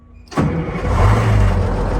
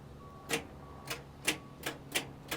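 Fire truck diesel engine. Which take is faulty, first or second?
second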